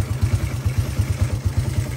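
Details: Honda EX5 idling after cam timing was reset to its marks to cure strong tappet noise during a pre-sale service. Even, low thump at about six beats a second, no tappet clatter, healthy single-cylinder idle.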